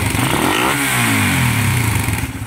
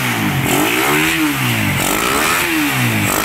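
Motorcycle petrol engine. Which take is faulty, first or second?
first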